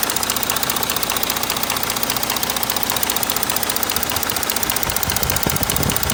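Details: Audi 3.0 TDI diesel idling with a steady clatter and a rough, regular knock about every half second; cause not pinned down.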